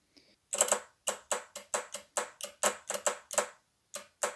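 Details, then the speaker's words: Shift solenoid from a junkyard 2002 second-gen Honda CR-V, bench-actuated; crisp, even clicks about three per second with no buzz. It moves freely and is not seized, so it is working normally. "well that one definitely sounds good when i blow compressed air through this i can feel the solenoid move back and forth so these are not seized up"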